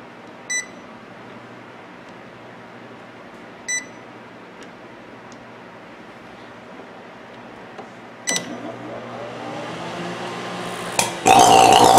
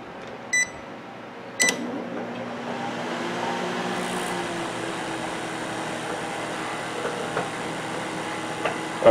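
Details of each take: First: Sharp microwave oven run empty with a loud, harsh buzz and crackling after two keypad beeps, heavy sparks arcing inside; microwave arcing. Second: Sharp Carousel microwave oven running after repair of heavy sparking and loud noise: keypad beep, click, then steady even hum with fan noise, no crackling or popping, no spark or burning smell; normal operation, no arcing.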